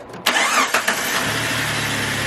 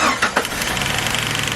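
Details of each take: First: Jeep WJ Grand Cherokee 4.0 after replacing camshaft position sensor, previously crank-no-start and rough idle: short crank, quick catch, then steady even idle with no ticking or hunting; starting and running properly. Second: Jeep WJ Grand Cherokee 4.0 after camshaft position sensor replacement, on its first start: a quick, even tick over a slightly rough idle. A spark plug lead was left unconnected. Ticking from a disconnected plug lead.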